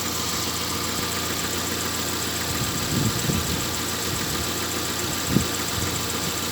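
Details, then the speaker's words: Engine with error P0507 (high idle, check light on; earlier held about 1000 rpm) after about 10 km of driving, near-hot: smooth, even idle around 800 rpm, steady hum, no misses or hunting; engine running properly. "Вот сейчас вот такие холостые. Где-то, наверное, 800. Так, двигатель работает вроде ровно."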